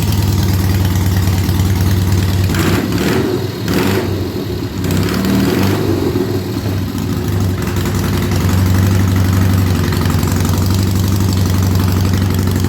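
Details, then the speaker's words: Triumph Bonneville idling after fixing an oil pump pressure-side check valve that let oil pass back, now over 30 psi at idle; steady idle with quick throttle blips returning cleanly, no rattles or knocks; normal idle. "the bike seems to be running nice now I'll let you have a listen to her"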